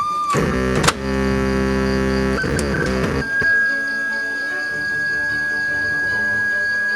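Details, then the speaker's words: Seico SA-126TE 1990s tape deck/AM-FM radio, AN7164 amplifier ICs, into 8-ohm speaker, before restoration: cassette playback engaged, reels and pinch roller turning, no tape audio; after brief music, thin steady high speaker squeal, cause not yet found. "Tombol fungsi playback mechanic tape aktif, terlihat bass reel dan pinch roller berputar. Terdengar suara cuitan pada speaker."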